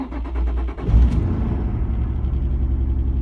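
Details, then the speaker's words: Nissan 350Z petrol V6 cranks, catches and settles into a shaky, uneven, lumpy idle; engine management light comes on, lacks power, owner says it always misfires on one cylinder. "it runs like that and it's extremely annoying that it's not power and it's really shaky always a misfire in one of the cylinders"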